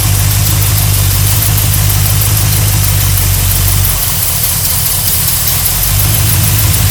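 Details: 1972 GMC Sierra Grande with a newly installed replacement V8 (electric choke, new gas tank), first run in 9 years: loud, deep, steady even idle with a slight dip midway, no knocks or ticks; engine sounds healthy.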